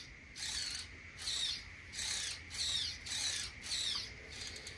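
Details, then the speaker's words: Traxxas Bandit 1/10 scale RWD RC car after salt-water flooding, servo sweep test: whirring sweeps with a tick on each return stroke only, none going forward; owner says such glitching points to a chipped or broken gear tooth. "but yeah you can hear it ticking on the way back there's no ticking the other way forward"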